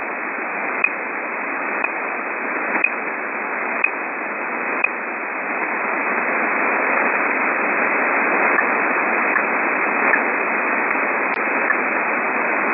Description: These strange pips, or ticking sounds are random in between 12.9 Mhz and 13.2 Mhz. They appear randomly at varying intensity.